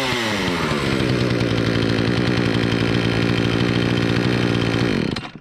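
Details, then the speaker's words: Remington RM4620 chainsaw, previously bogging and not revving, after bar cleaning, fresh fuel, cleaned air filter and spark arrestor removal: screams to a steady high rev without bogging, running like a healthy two-stroke. "that's how you get these cheap remington saws up and running with no cost okay"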